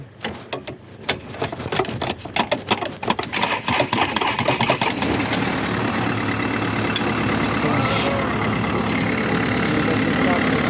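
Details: Mercedes-Benz with a no-start complaint, already on a new battery, after tapping the hard-to-reach starter motor: a few seconds of uneven clatter, then the engine catches and settles into a steady, even idle.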